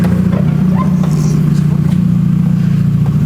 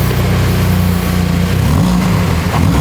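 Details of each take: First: Mini with the exhaust removed, running on the downpipe only: loud raspy idle swelling to a harsh blaring roar when revved, before the new exhaust is fitted. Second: Mini at first start after a new exhaust (no resonator, smaller back box) fitted before its MOT: deep, even idle burble and clean blips with no rattle or blowing. Healthy exhaust note.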